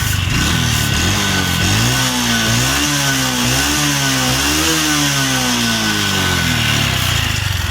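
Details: Honda Revo Absolute 110 carbureted, rough noise from the block area and white smoke: a dry metallic rattle rides on the revs and worsens under throttle; a worn, scored piston, rings and cylinder bore are suspected; piston slap.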